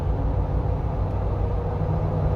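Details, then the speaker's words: Jeep after a misfire repair, on 37-inch tires, climbing a hill in fourth gear: deep steady drone, smooth and even with no stumbles, bucking or backfire, no check engine light return; misfire judged fixed, normal under load. "okay well I think it's safe to say the misfire is fixed usually the check engine light will come back already"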